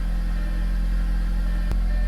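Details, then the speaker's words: Audi after new spark plugs and intake and diverter valve install: steady even low hum at idle, no rumble or misses; previous rough idle gone, engine running smoothly. "It's not rumbling. Like at all."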